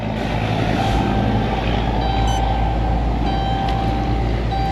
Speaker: It's been running about 20 minutes. Temperature gauge never went over half.